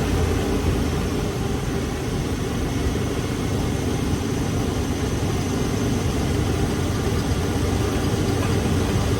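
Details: 1990 Ford F-150 after replacing the starter solenoid for a no-crank problem: the engine starts and idles with a steady, deep, even rumble, no misses or knocks; the fix worked.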